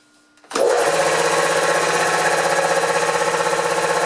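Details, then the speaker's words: Newly installed shed air compressor, replacing the old one, first start-up; steady even pumping chatter with no knocking or squealing, no louder than the old one, rated to meet workplace noise levels; running normally. "Well, that's not too bad. That's actually no louder than the old one."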